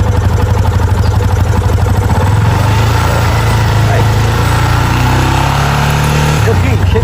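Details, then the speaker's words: 2019 Yamaha motorcycle, about 6–7 months with owner, wouldn't start on the electric starter; after the original battery was found dead, it starts and holds a steady, even low idle with no misses: normal idle. "Aí, ó. Meu filho, problema resolvido. Só comprar a bateria e acabou."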